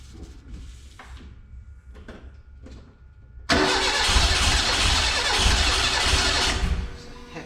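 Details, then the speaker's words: Renault 5 GT Turbo engine in van, first start attempt on laptop-tuned ECU: starter turns, then harsh rough firing for about three seconds without idling; ignition jumps to about 40° advance during cranking, too much. "I see it jump up to like [ __ ] 40° ignition at on cranking that is too [Music] [Music] much"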